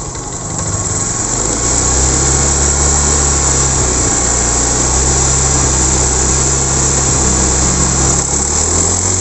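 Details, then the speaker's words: Honda Beat ESP scooter seized from running out of oil, freed without engine teardown: runs at a fast idle with a rough, ragged buzz. Mechanic suspects a damaged connecting rod, possibly the roller bearing. "kali suaranya kasar bisa dari sehernya ya Setang Seher juga bisa dari apa namanya ee itu ya guys rumah loler ya cuman ini kalau menurut saya ini positif setang sehernya kena ini karena parah banget ya"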